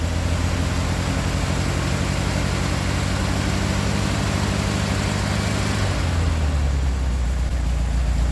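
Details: 1969 VW Beetle air-cooled flat-four with Solex downdraft carburetor, after replacing bad condenser and modified coil (unsure which was faulty): steady even low idle beat, no stumbles or misses; best since overhaul, normal idle.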